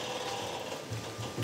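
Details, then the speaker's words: Restored 1983 ERF truck during an HGV inspection, foot brake applied, listening at a wheel's brake actuator. Short soft valve chatter as valves regulate pressure, quiet gaps, no hissing; air brakes holding with no leaks. "no air leaks here at this wheel we're going to work around this way so this brake actuator here all quiet no signs of any air"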